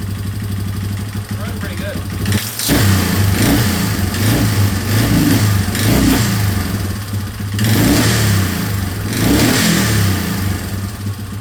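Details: 2003 Yamaha Wolverine quad after fuel leak work, with inline fuel filter and temporary fuel setup: crisp throttle blips, revs climbing and falling cleanly with no stumble or sputter; normal running.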